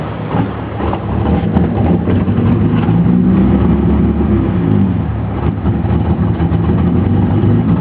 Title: E30 Rough Idle 2